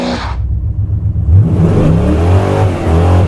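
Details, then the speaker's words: 1978 Chevy C10, 383 crate V8 on self-tuning fuel injection, after trimming the MAP sensor seal, doing wide-open-throttle burnouts: a strong, deep roar with tyre noise and even firing, no stumble or miss; runs healthy now. "now the thing actually runs well and what better way to get a self-tuning system to tune wide open throttle then with a few burnouts"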